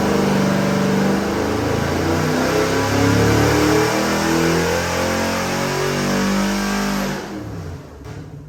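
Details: Customer's freshened 441ci LS7 stroker V8 (re-ringed, new bearings, heads redone, new port-matched intake, same cam) on the dyno before a final 6,500 rpm pull; clean rise in pitch to the top, then the throttle drops off, a normal full-throttle dyno run.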